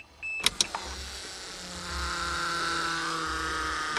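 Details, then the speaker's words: 1982 Toyota Cressida, electric fuel pump after wires reconnected, priming and purging air from the system; after a few clicks a soft steady electric hum starts and holds an even pitch; normal fuel pump running. "she's priming I hear the air purging out of the system"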